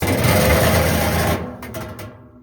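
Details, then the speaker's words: Running clothes dryer: harsh, rapid clattering scrape as the spinning drum catches an edge of sheet metal bent up, probably by a screw that fell inside; fixed with a spud bar and screwdriver. "See that piece of metal? Somehow a screw had probably fell down in there. Spinning around and it caught this edge of this metal right here and it's bent it up and that's what's making that noise."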